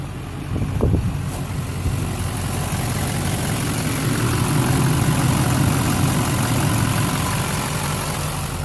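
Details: 2004 LLY Duramax extended cab long bed (PCV reroute, 3" downpipe, 5" Magnaflow exhaust) idling on AC Delco injector cleaner mixed with diesel from a jug after white smoke at idle; steady even clatter, smoother idle.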